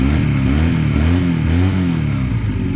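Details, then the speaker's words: Idle checked after fixes: slight idle fluctuation; revved, it falls back but hangs at a noticeably higher idle instead of normal speed; emissions system pipe found starting to crack. "and it's at risk of staying a bit higher see that is a bit higher now"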